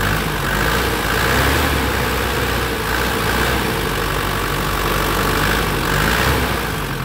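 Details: 2004 Panther LS (Black Panther) diesel, about 160,000 km, hot after driving 30 minutes earlier: a steady, even warm idle with light injector clatter, no misses or knocks. No exhaust smoke and the oil cap check is fine, so the engine is healthy.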